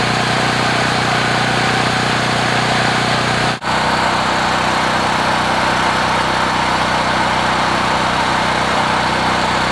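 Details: Generac portable generator, several years old with 36.8 hours, finally started after about 25 pulls on choke; steady, even engine hum with no surging, knocks or misses; runs smoothly once started, hard starting is the fault.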